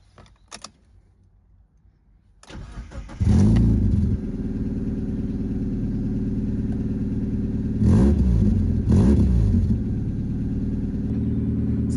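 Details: Mazda MX5 Miata Mk2 after replacing faulty battery with a new one: short crank, quick clean catch, steady idle with two crisp throttle blips; starts and runs normally.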